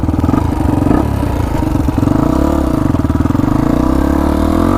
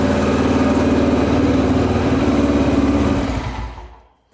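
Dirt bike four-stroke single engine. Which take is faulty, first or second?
first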